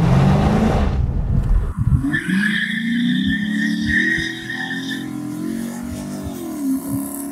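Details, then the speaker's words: '06 Dodge Charger Daytona V8 on a 91-octane tune with MDS concerns: engine revs hard and holds steady under load doing a burnout, loud tyre screech on top; pulls cleanly and sounds healthy. "so with this tune and everything in it i don't have to hold the break or do anything crazy i can just hit the gas and it just does a burnout right now just like this"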